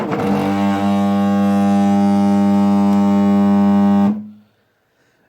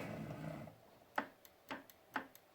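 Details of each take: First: Wanhao i3 3D printer with Duet WiFi upgrade, Y axis homing: stepper motor runs the wrong direction past the end stop and stalls hard at end of travel, a loud steady buzzing drone until power is cut. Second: Sharp crisp clicks about half a second apart as the Y end stop switch on a Wanhao i3 with Duet WiFi upgrade is pressed, printer upside down after Y belt setup; switch working normally.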